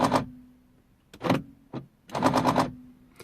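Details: 2003 Mercedes C220 W203, driver's door lock won't lock even with mechanical key: short bursts of fast, hard machine-gun rattling clicks when unlocking; faulty driver's door lock actuator.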